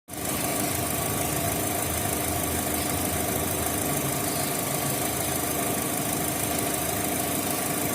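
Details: Opel with Z18XE engine and Siemens Simtec 71.6 ECU: uneven idle with dull, irregular knock under a steady hum; misfire caused by defective engine computer (ECU).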